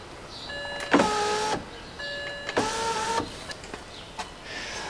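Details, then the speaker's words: BMW passenger window, lowering test after the window regulator was replaced. The motor hums in short half-second bursts, stopping and restarting, so the glass lowers in steps of an inch or two then freezes. New behaviour; cause unclear. "It goes down only in steps for some reason. It goes down like an inch or two down, and then it freezes."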